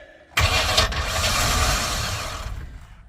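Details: 1998 Express 3500 that sat about two years, cranked while checking the oil pressure sending unit: hard to crank, then a sharp catch and an even idle with no knock or tick. The oil pressure gauge then comes up.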